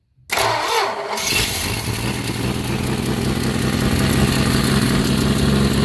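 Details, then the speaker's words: 1965 Plymouth Barracuda 225 slant six at idle just after starting, with fast sharp ticking puffs about four per second from an exhaust manifold leak; a big gaping hole was later found. "so let's go ahead and start the engine and see if we can hear what it makes for sound it sounds terrible I think"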